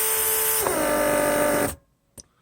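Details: Mercedes W140 central locking pump on bench test after repair, running the remote trunk release (pressure unlocks, then pops trunk); steady buzz dropping in pitch under load, clean cutoff with clicks — normal pump operation.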